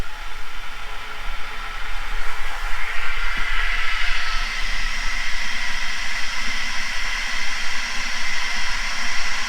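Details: Grainfather brewing unit, over 5 years old, after replacing the thermal cut-out part, heating water from 15 °C toward a 67 °C target: a faint click, then a steady hiss builds as the element runs without cutting out.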